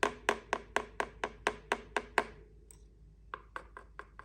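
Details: Mountain bike chain tapping a hard plastic chainstay protector with no foam damping makes sharp, hollow plastic taps about twice a second, ringing clearly; the undamped protector makes the bike noisy.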